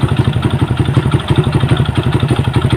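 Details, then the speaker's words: Honda Supra Fit motorcycle with heavy exhaust smoke: fast, regular metallic clatter at idle, about ten knocks a second, louder with throttle; clutch first suspected. "bunyi gemeretak di bagian mesinnya dengarkan suara mesin dan kita lihat asap yang keluar dari knalpot motornya jadi akhirnya keluar cukup keras semakin keras"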